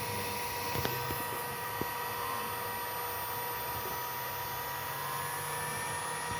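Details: GPNI 2.2 kW 220 V three-phase ER20 800 Hz 24,000 rpm spindle on a Fuling DZB300 inverter, test run after parameter setup: quiet steady high whine, no wavering, rattle or roughness; normal smooth running.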